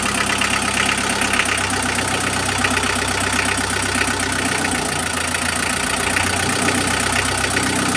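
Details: Mitsubishi L300 diesel after its injector nozzles were cleaned: steady, even idle clatter with no heavy shaking or roughness. Normal diesel idle.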